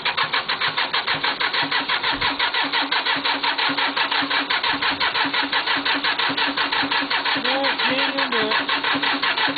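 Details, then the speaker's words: Cub Cadet diesel tractor, 874 hours, cold start after glow plugging until red: even starter chugging about three per second for ten seconds without firing; only starts if cranking speeds up, won't once cranking slows. Cold start fail. "get cranking a little bit faster and faster and faster she'll finally start when she start slowing back down cranking she ain't going to do it"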